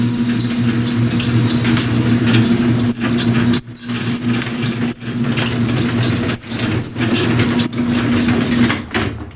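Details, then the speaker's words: Garage door with crooked tracks and wrong, too-heavy springs installed, opened before replacement: steady drone with repeated sharp chirps and squeaks from the pulleys; worn-out pulley bearings. "All the pulley bearings are trash. We're going to open this thing up, and you're going to hear what it sounds like."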